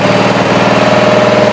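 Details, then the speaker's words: 20-G riding mower single-cylinder engine idling, with the fuel possibly nearly out: steady thumping beat with a slightly uneven, soggy pulse; the borderline carburetor is suspected of flooding at idle. "This carburetor is definitely borderline. It's flooding at idle."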